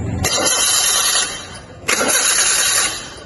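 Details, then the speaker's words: Fuel-injected engine on a training engine stand, MAP, IAT and TPS sensors reconnected but crankshaft position (CKP) sensor still unplugged: two brief starter bursts, steady fast cranking, no firing; crank no start from disconnected CKP sensor. "Ini mesinnya masih tidak mau hidup, berarti ada masalah pada sensor, yaitu sensor CKP-nya."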